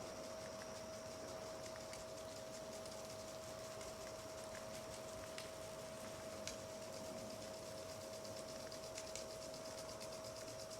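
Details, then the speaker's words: Pasture irrigation with a 1.5 hp jet (dirty-water) pump feeding Rain Bird 1.5-inch valves and Rain Bird 35A impact sprinklers: steady mid-pitched pump whine under crisp, irregular sprinkler-arm ticking; normal impact sprinkler operation. "ain't that something i love the sound of 35 a's"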